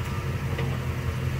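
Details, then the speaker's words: Automatic car on a hill, shifted out of park into reverse after the parking brake took the load: steady idle with no clunk, since no strain is on the transmission. "Okay, so you guys hear that there's no clunk because we're not putting any strain on the transmission."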